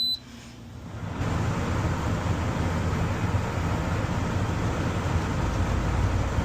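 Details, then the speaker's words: Turbro Greenland 13,500 BTU inverter heat pump RV air conditioner with compressor running: short beep, then a steady even rush of fan air with no compressor hum audible; about 64 dB on high fan, 63 dB on low; normal. "okay so you can see that we're right at about 64 uh DB with the fan on high now if I turn it down to fan on low doesn't really make much of a difference it dropped down to 63"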